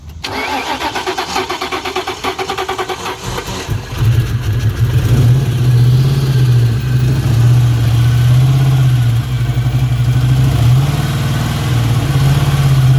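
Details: 1999 Ford Mustang GT 4.6 5-speed manual, first start after sitting for years, fuel pressure about 40-60 psi: cranks and catches, runs lumpy and uneven at fast idle, kept alive on throttle; dead cylinder with zero compression.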